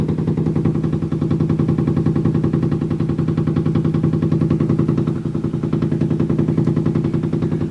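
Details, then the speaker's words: Washing machine during spin: heavy regular thumping three to four times a second, drum slamming against the wall and floor, vibration felt through the wall; washer banging during spin. "every time it spins it slams against the wall and the floor down there and it just makes this noise every"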